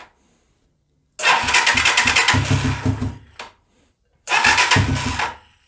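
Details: 125cc Sinnis Heist hardtail chopper being rescued, first start attempts; two bursts where the single fires and revs briefly then fades and dies; starts then stalls, won't idle by itself, float height later adjusted.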